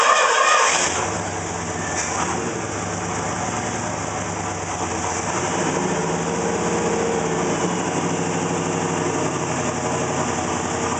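V8 catches, settles into a lumpy idle with an uneven loping beat and occasional stumbles; the idle is rough, cause unclear.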